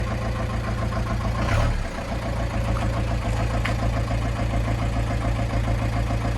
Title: 1996 Ford Transit 2.5L Diesel engine problem